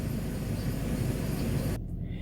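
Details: BMW E46 325i with M54 six-cylinder engine, started with the door open. Smooth, low, even hum at idle with no ticks or uneven firing; normal idle.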